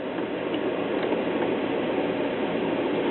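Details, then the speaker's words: 1975 Voice of Music model 270AV solid-state classroom record player: only a steady, even hiss from the speaker, no music or needle sound; no signal from a broken tonearm wire, and the 89T cartridge also needed replacing. "Getting nothing from the needle. Although, I can tell the needle is bad."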